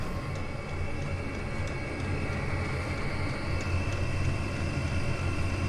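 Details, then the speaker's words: Chinese diesel air heater warmed up with exhaust extension pipe: steady low jet-like roar building up, with faint pulsing from the dosing pump on top; burning evenly with no sputter, normal running. "It builds up rather like a jet engine. A little bit annoying, the pulsing that comes off the pump."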